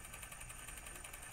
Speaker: Nah, kalau kalian dengerin tuh suaranya ada suara berisik kasar. Ini posisi kopel masih belum pas, posisi bearing eh ke hosing masih belum senter. Kemudian posisi gearbox-nya pun juga masih belum pas ini.